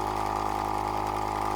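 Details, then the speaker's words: Tyre inflator advertised as most powerful in its class, pumping from about 19 toward 33 psi: steady buzzing drone with fast rough clatter like a bag of nails inside; rattling noisy compressor. "we're getting towards the land rover time now and it's it's it's doing all right it sounds like there's a bag of nails in there i'm not quite sure what's happening"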